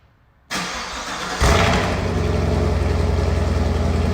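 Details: 2021 Camaro 2SS 1LE V8 with about 16,500 miles, after an earlier ticking scare that never returned: cranks and catches cleanly, then settles into a steady, even lumpy idle with no ticking or knock; normal start and idle.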